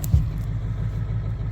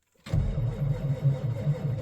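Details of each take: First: V8 diesel truck at −8° after sitting outside 3–4 hours, started with glow plugs and two new batteries. It cranks twice as fast, then settles into a low, even rumble firing on all 8 cylinders with no smoke: healthy running. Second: Diesel truck that sat outside in cold winter weather, battery voltage dropping to 10.8 V while cranking with the clutch in: sluggish, uneven starter chugging that never catches and fades out; batteries too weak to spin the diesel.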